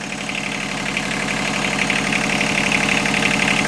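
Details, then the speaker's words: Inboard marine diesel boat engine after head gasket replacement: even diesel clatter at steady idle, no extra knocks or stumbles; normal idle. "So now it's running and everything sounds and looks good."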